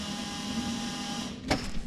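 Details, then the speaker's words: Budget-built Zetec turbo MK2 Fiesta with the fuel system plumbed wrong: the electric fuel pump gives a steady whir and thin whine, then a sharp thud, with hissing heard. "Oh look, there's our feed. That's plumbed wrong."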